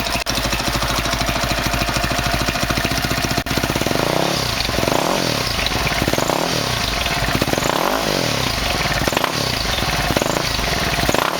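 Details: 2003 Honda CRF450 four-stroke, first start after engine rebuild for seized connecting rod and blown rod bearing, started without choke: even single-cylinder idle with quick throttle blips returning cleanly, no knocks or misses; normal idle.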